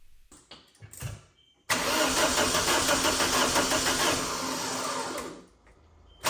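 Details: 2000 VW Passat 1.9 TDI diesel cranks, catches and runs with an uneven, lumpy, shaking idle from a faulty injector.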